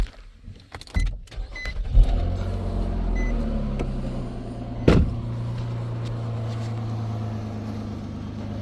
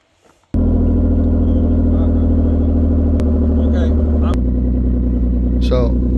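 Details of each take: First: 2016 Nissan Maxima after DIY welding repair of rusted exhaust: starter whirs, engine catches and settles into smooth, steady idle with no puffing or ticking from the exhaust; quiet. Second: 2016 Nissan Maxima, 301,000 miles: loud, deep raspy drone at steady idle, far louder than stock; exhaust pipe rotted through with a large hole on top; exhaust leak.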